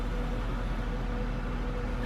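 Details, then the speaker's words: Sailboat fridge compressor giving a steady deep hum with a faint tone near 500 Hz, running properly after refrigerant gas was added; earlier it lacked this hum and its faults were thought electrical. "Before it was not really making a deep hum sound, and now it is, and that's the sound you usually get when the fridge is running properly."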